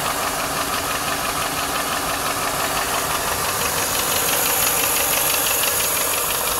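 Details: 1995 Lincoln Mark VIII LSC, Ford 4.6 DOHC V8 at idle: crisp, regular tapping about three per second over smooth idle; owner unsure whether lash adjuster tap or piston slap/rod knock.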